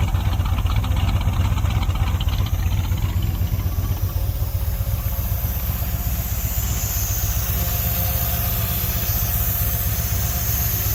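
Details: 1972 Chevy C10 crate 350 small-block that had sat for 8+ years, first run with a new coil. Deep, even idle of about four beats a second with a slight lope, no knocks or lifter tick; a healthy normal idle with a mild cam.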